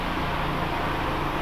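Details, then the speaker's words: Pedestal fan motor test-run after rewinding with 29-gauge wire (150 and 300 turns) and varnishing: a steady even hum with a smooth airy rush and no ticking or rubbing. The rewound motor runs cleanly at good speed. "ये देखें, चल रहा है, बहुत ही अच्छी स्पीड है।"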